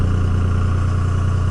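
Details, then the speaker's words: 2002 Dodge Ram 24-valve Cummins HO diesel with VP44 pump, cold high idle near 1200 RPM switching into 3-cylinder mode to add load and exhaust heat for faster warm-up; lumpy uneven idle beat, sounds messy but normal. "it drops into 3-cylinder mode it just gives an increased load increased exhaust temperatures causing it to warm up faster kind of sounds like a little bit of a mess it's kind of a normal sound you'll hear out of them"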